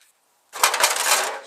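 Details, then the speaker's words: Ford Focus 1.6 HDi, rattle under rear body: sharp tinny metallic clatter when the exhaust is tapped, heat shield broken loose from the exhaust tunnel mount; fixed with a nut and bigger washer. "So you focus your rattling underneath. That's usually the old heat shield came loose."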